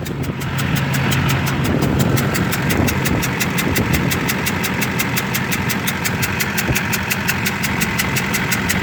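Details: 2005 Duramax LLY diesel running: fast even ticking over rough uneven knock; owner suspects bad injector(s) plus possible exhaust manifold leak; knock louder near 60 mph, black then whitish smoke under throttle, coolant level fine.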